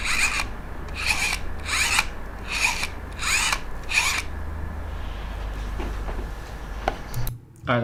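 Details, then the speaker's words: Yongnuo 50mm f1.8 lens: repeated short raspy grinding bursts about every 0.7 seconds, then quiet; slow and very noisy autofocus motor. "let's talk about the focus all the focus is slow I said that but also it is super noisy"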